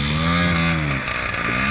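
Buzzy two-stroke note with a steady fast beat that drops a little then picks up again; small engine running after first start.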